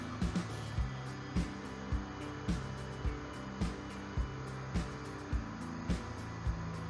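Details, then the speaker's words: Automatic washing machine that showed an E error code and would not run, after repair: steady low hum with a regular thump almost twice a second as the drum turns evenly; the motor runs normally. "มาเริ่มทำงานแล้วนะครับมันเริ่มเรื่องงานแล้ว"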